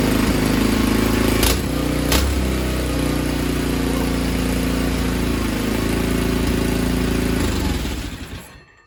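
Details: Tecumseh H35 engine from a Sears mini bike, after repairs and reconnecting the governor throttle spring. A small single thumps at a steady, even beat with no misses or surging, then winds down cleanly at shutoff: normal running.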